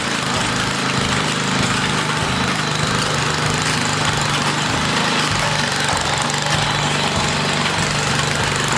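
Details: Old 1980 rototiller small engine: screaming at a steady high, fast buzz with no hunting, overspeeding because the wrong governor spring is fitted; spring needs replacing.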